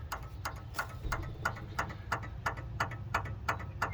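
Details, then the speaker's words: Old Aquamaster control panel, possibly damaged by a lightning strike or power surge; the timer gives sharp clicks about three a second over a low hum, at the same cadence the light contactor had been switching on and off. Abnormal timer clicking, cause unknown. "You can hear this timer's just making weird noises at the same cadence as the light contactor was going in and out."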